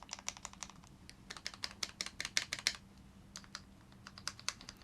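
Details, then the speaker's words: Custom mechanical keyboard stabilizer test, board lifted off the table and held to the mic, keys spammed across the full stabilizer length: crisp, even clacks in quick bursts with no rattle or tick; stabilizers sound clean. "the way you test a stabilizer is you want to hit it in the middle, but you also want to hit it on all the way from one side to the other side to the other side, and you want to make sure that it's sounding the same. Is that sounding clean to you?"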